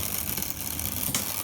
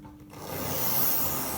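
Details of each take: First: Tri-ang Railways R.355 0-4-0 model locomotive from a joblot, first power-up on track after a long time unused: thin, rough whirring and gear chatter as the small motor labours unevenly, barely turning over; sluggish running, but signs of life. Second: Tri-ang R.355 0-4-0 model loco after cleaning and fixing a short where a wire crossed onto the red wire: small motor whirrs steadily and evenly with no stutter; smooth running, fine at higher speeds, may need more running in.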